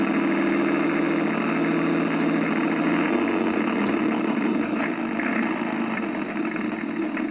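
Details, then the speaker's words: Accucraft Goose #2, bought about 25 years ago and probably pre-2000, converted to RCS, running forward: labored whirring drive with an uneven churn near three a second and sharp ticks, gears struggling to turn; a broken drive gear is suspected. "And after a few seconds of operation, you can start, and you see how hard it is for the gears to go."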